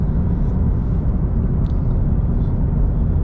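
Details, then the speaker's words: FRS/BRZ/86 with automatic engine converted to manual, equal-length headers, two resonators, driving: deep steady rumble, moderate at low rpm, screaming more above about 2500–3000 rpm, no ticking or leak; healthy engine and exhaust. "when when you are at low RPM it doesn't sound like you have a full exhaust system with no cat and when you're let's say about 2500 to 300 RPMs now uh after that it's screaming a little bit more and it's sounding very"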